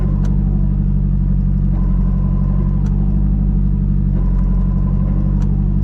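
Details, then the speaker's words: Nissan 240SX with Redtop SR20 T28 turbo, new Magnaflow cat: steady engine drone with faint high whine when clutch pedal pressed; first gear sometimes hard to engage, owner suspects throwout bearing, plans transmission refresh and rear main seal. "the the wine um kind of makes me think that uh you know something might be going bad in there also you can hear that probably through the camera when I push the clutch in"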